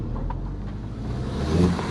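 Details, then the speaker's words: Audi TT Mk1 Quattro with overboost issue after reconnecting the turbo actuator pipe: deep engine note pulls up smoothly under load with no flutter, hiss or hesitation, boost around 15-20 psi and no misfires; a possible pipe split suspected as the earlier cause. "But that's a massive improvement. It's coping well with a high boost where it wasn't before."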